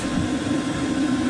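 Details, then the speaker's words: Chinese diesel heater with LCD controller, bench test, shutdown after 7–8 minutes running: fuel cuts, steady fan hum winding down while the glow plug comes back on to burn off residue in the flame tube. "and you'll see the glow plug symbols come back on because it's cutting the fuel out you can hear the fan slowing down but the glow plug comes back on to burn off any residuals are in there when the flame tube is out"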